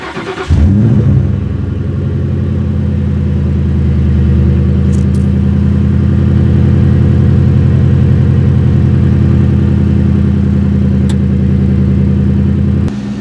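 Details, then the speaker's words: V8 with Borla exhaust and chrome tips, cold start in snowy weather: it catches and settles into a smooth, deep, even rumble, a burly but not aggressive note; normal cold-start idle. "you guys will hear in just a moment after it warms up the car sounds great it's not a super aggressive tone but a nice burly note with a little bit of Rumble"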